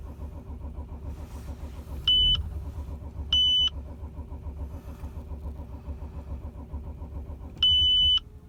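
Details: 2006 Audi A6 4F 2.7 TDI quattro diesel, cold start: steady starter cranking between dash chime beeps for several seconds, never catches; crank, no start when cold.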